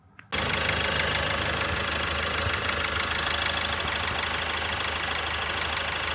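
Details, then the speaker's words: Opel Astra J 1.6 CDTI diesel (B16DTH) after engine overhaul, auto stop-start disabled, heard from outside in rain: even diesel idle clatter, steady with no stumble or surge; no shaking, runs well. "Gram sarsıntı yok. Güzel çalışıyor."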